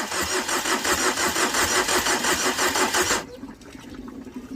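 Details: Tata Vista after overheating from a knocked-off radiator hose following an underside impact: starter churns at nearly three pulses a second for three seconds, then drops off; engine cranks but won't start.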